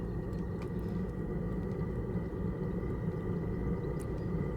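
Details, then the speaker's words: Chinese diesel heater warming a workshop at about 5°, exhaust routed through a 7 m 38 mm sand-battery pipe: steady low, ragged exhaust rumble that is raspy on cold start until it reaches temperature. "the only thing I've noticed with this is when it first starts up until it kind of gets up to temperature the exhaust is a little bit"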